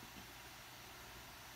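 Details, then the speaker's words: MacBook Pro 13-inch A1708, very slow: steady, loud, even rush of air that never rises or falls; fan pinned at full speed. "the problem was it is very slow and as you can hear the fan was too loud guys"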